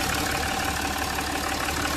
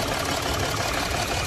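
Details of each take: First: Jaguar XF diesel after repair of a cylinder 1 misfire (P0301) and oil leak with injector work and a valve cover gasket: a steady, even idle with a smooth low hum and no knocks or misses, completely silent. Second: Jaguar XF V6 diesel at idle: uneven lumpy beat, engine shaking and jerking, misfire code P0301 on cylinder 1, restricted performance limp mode; faulty injector suspected, oil leak also present.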